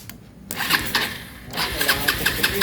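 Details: Rouser 220 motorcycle that won't start, starter relay bypassed: starter turns the engine over in quick even chugs, about six a second, but it never catches; cranks without starting.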